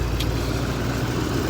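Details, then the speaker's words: 2014 Chevy 2500 Duramax diesel with EGR delete, EGR valve plugged in: heavy, choked, rough drone that won't idle or accelerate despite throttle, with heavy smoke; unplugging the valve stops the smoke and restores acceleration. "Not wanting to idle. I'm actually giving it fuel. Not really wanting to go that good. And look at all the smoke."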